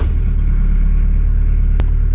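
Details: Boat inboard engine just started to charge the batteries: steady, even low drone with no knocks or misses, running smoothly.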